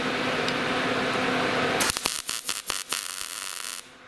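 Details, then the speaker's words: MIG welder with gas doing short-circuit welding, wire speed turned up: a smooth frying hiss breaks into stuttering pops and bursts as the arc struggles to start; wire speed too fast for the voltage. "And that was too fast. You see how it had trouble starting?"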